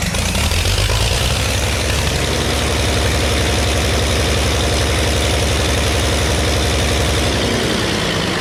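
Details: Early Case 930 diesel tractor, believed 1960, possibly unstarted about 14 years, new filters, final filter primed, no exhaust manifold: loud uneven idle with irregular stumbling beat, a couple of cylinders not quite right, liquid from one; later ran out of diesel.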